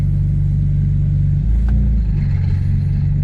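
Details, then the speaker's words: BMW 335i E90 N54 six-speed manual, clutch five months old, failed on the road: engine idles steadily, then a rough low metallic clanking churn as the clutch comes out in gear with no drive; broken axle spinning free. "it's like metal clanking around or something just spinning and not engaging"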